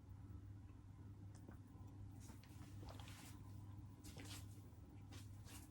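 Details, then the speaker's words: Early-1970s Wing TAT (Martec) 48-inch ceiling fan, dusty, surface rust, unbalanced, running slowly: low steady motor hum with irregular dry scratching and rasping; bearing noise. "as you can see it's very unbalanced you can start to hear the bearing noise too"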